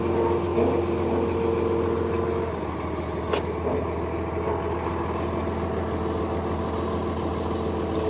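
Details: Antique tractor (1965 Farmall 656 or mid-1980s Ford 1300) idling while still cold, before hydraulic lines are disconnected. Steady, even idle with a constant low hum and no knocking or misfire; it runs smoothly.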